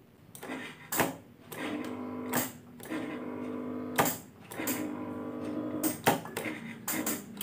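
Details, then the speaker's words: Motorcycle starter gives short, labored whirs in stop-start bursts that never catch; the worn-out battery reads 12 V but its voltage drops during cranking and cannot turn the starter; weak cranking from low battery. "jadi untuk sepeda motor ini tidak bisa starter ya teman-teman untuk akinya tidak kuat ngangkat"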